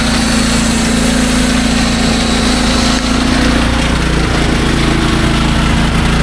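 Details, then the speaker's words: SDMO 5000W generator, Briggs & Stratton engine (about 18 hp), after repair, load test with a 6 hp vacuum and 1500 W heater (about 15–20 A expected); steady even drone without hunting, misfires or knocks; normal running under load. "Now, the load I'm going to be putting on this is a lot bigger. We have a 6 horsepower vacuum and a 1500 watt heater."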